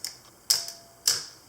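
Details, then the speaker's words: Olympus OM10 FC in manual mode with motor winder, half-second exposure: a crisp opening click, then a clean closing click about half a second later, so the slow-speed shutter fires normally. "so here's a one second exposure with the with the motor winder here would be a half second"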